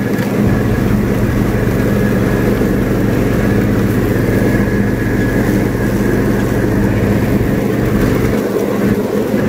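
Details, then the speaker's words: Free, previously non-running John Deere riding mower revived and greased, mowing: a steady single-cylinder drone holding speed evenly under load with no misfires or knocks, normal healthy running. "well i just got a really good test the mower i'm very happy with the way it performed"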